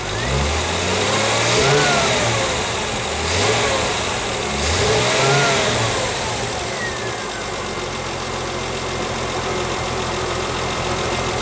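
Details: 1973 TVR 2500M with rebuilt carburetors, mixture leaned using a Gunson Colortune: three quick throttle blips rise and fall cleanly from steady idle with no stumble or pop, mixture sounds well set.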